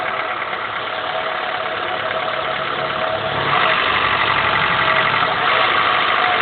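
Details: 2000 Honda Accord F23A1, 167k, cold start: light, fairly regular knock about three per second over a rough idle, heard only between idle and 2k rpm; owner unsure whether rocker arms/camshafts or a rod knock.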